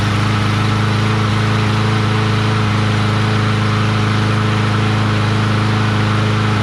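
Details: Craftsman push mower with Briggs 550EX engine, just after the new plastic carburetor replacement: single cylinder runs steady and even, about three firing pulses a second, no surging or misses; old carburetor was faulty, possibly a missing red O-ring.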